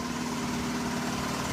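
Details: 1983 Buick Park Avenue, 68,854 miles, long stored in shop: loud raspy idle with hissy, puffing edge over engine note from a leaking bad exhaust crossover pipe.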